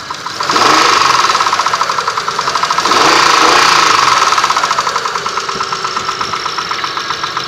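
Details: 6A13 engine, slightly warmed, idling, recorded in the car: quick, steady tapping knock about three or four a second, clearly above the engine note; knocks when warm.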